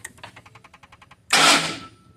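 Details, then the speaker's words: 2010 Ford F-150, code P060A, crank-then-shutoff fault: with the PCM power-supply fuse removed, a quiet even crank of about nine beats a second for a second, then a short rush and it stops. Same pattern as when faulted; low PCM supply voltage, not a bad PCM. "there you go and we've got the same pattern there that we saw when it was faulted"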